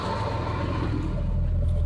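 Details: 1989 Jeep Cherokee 4.0L inline-six auto idling after new starter replaced water-submerged one; steady low rumble with even beat, no knocks or starter grind; normal idle.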